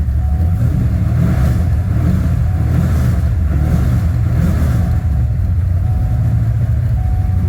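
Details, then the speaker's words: Car just fitted with Powermaster race alternator converted from 3G to one-wire, new Goodyear 6PK0749 belt, engine cold, charging 14 volts: deep steady rumble with light revs, no belt squeal or chirp; normal running. "Belt didn't squeal or anything, so I'm going to consider that good."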